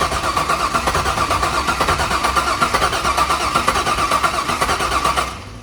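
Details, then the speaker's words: C5 Corvette Z06 50th anniversary edition, about 50,000 miles, first start after years in storage: uneven lumpy firing with irregular thumps, barely running; suspected dead cylinder or one injector/coil not firing, not confirmed. "It sounds like there's one injector firing. Or one cylinder down. There's a dead cylinder on this."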